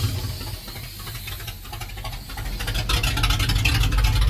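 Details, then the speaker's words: 1967 Dodge D100 V8 being revived after years off, running after timing adjustment and one vacuum leak fix: a steady, even idle rumble that firms up slightly, with no knocks or misses. Normal idle. "okay that thing sounds really good wasn't expecting to just idle perfectly like that"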